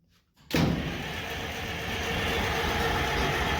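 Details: International 93 combine, unused for 15–16 years. After a quiet start it turns over with a steady churn but never catches: crank, no start, likely because the choke was not used.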